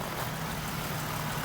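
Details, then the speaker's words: Toyota Highlander 2GR-FE V6 after overhaul for cold piston knock, heard from the rear underside: smooth quiet idle, only light injector ticking, no knocking. "Тишина полнейшая. Только слышь, как форсунки отрабатывают."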